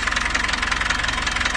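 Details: Dodge Ram 4D56 diesel on its first start, cylinder head not removed; even, fast clatter at a steady idle, no misses or heavy knock. Normal diesel idle.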